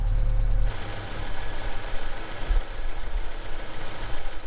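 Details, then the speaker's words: 1982–1992 Ford Ranger idling after an alternator replacement: a low, even rumble with no roar or whine; the old alternator had been roaring loudly, and lifter and valve clicking is now audible; the amp gauge shows charging. "goodness it's amazing how much quieter it is just the whole engine under the hood is much quieter I didn't realize that the other alternator was roaring so loudly"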